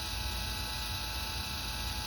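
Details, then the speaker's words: MTH RailKing N&W J 4-6-4 model locomotive after repair (rectifier bypass, smoke unit batting replaced, earlier fan whine), tested on DC power pack: steady, even small-fan hum, constant pitch, no whine or rattle; smoke fan running normally. "there goes the smoke okay you can hear the fan running and you can start to see the smoke coming out of the uh the top"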